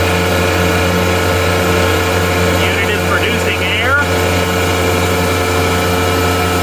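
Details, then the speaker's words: Gardner Denver Electra Screw rotary screw compressor (EBE99K), 24,873 hours, freshly serviced, just started at 57° ambient and building pressure; walk-around shows steady even hum, low drone and faint high tone, quiet with no knocks or rattles; normal running. "Walk around with the unit running. Very nice, quiet unit. See, the unit is building pressure."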